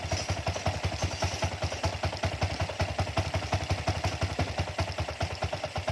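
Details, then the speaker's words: Honda Wave 100 dirt-bike conversion with a shop-bought carburettor, only the jet changed: lumpy, uneven single-cylinder idle with loping pulses; air screw closed too far, mixture too rich, stumbles and nearly stalls after heavy revving. "น้ำมันมันหนาพอช่วงเราเร่งเยอะนะครับผมเร่งเยอะแล้วผ่อนลงปุ๊บน้ำมันหนาอ่าจุดระเบิดไม่สะดวกนะ"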